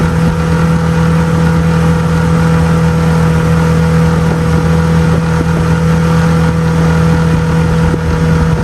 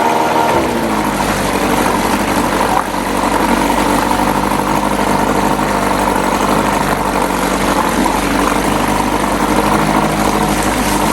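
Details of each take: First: 6 hp outboard on 2002 1236 12-foot jon boat, on plane at a steady 13, touching 14: steady, even buzzing drone at constant pitch with no misses or surges; running normally. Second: 1997 Johnson 6 hp outboard on a 12 ft jon boat, after clearing a clogged tell-tale outlet: fast steady buzzing idle with no hunting; idles very high in neutral but drops when put in gear, idle adjustment untouched.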